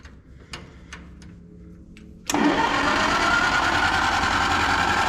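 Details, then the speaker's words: Antique tractor gasoline pony start motor, fuel on and out of gear: a handful of weak puffs over about two seconds, then it catches and settles into a steady run; operator gave it too much gas. Flooded engine hard start. "Why that was left to run, I don't know. I went too much with the gas."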